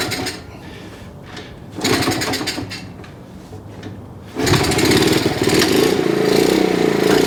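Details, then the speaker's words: 1969 Honda CT70 small single, non-running and long-sitting, first start on choke with fuel on and old oil: a couple of short bursts, then it catches and settles into a steady, even, clean idle. "Sounds good, too. Been sitting around so long. Well, that old conicle oil makes them run clean, don't it?"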